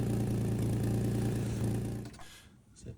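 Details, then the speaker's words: Ford Capri 2.8 Injection, about 40 years old, idling terribly before its MOT: rough chuffing idle with a rapid puffing pulse about three a second from underneath, traced to an exhaust joint knocked when driving out; joint later refitted and tightened. "So, here's a Capri running and it's running terribly. And down here is the source of that. That is the exhaust join that I knocked when I drove out of the Ford showroom."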